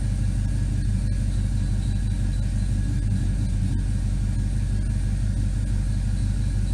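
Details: 1979 Firebird Esprit, 5.3 V8 swap with Powerglide, shorty headers, straight 2.25in duals, idling at about 30°C while warming, O2 sensor not in, open loop disabled; deep even rumble, no misses, knocks or ticks, good vacuum, idle spot on.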